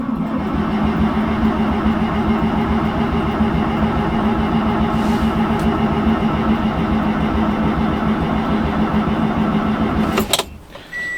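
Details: Cold start in winter: starter churns unevenly about ten seconds, roughly two turns a second, never catching; battery running down.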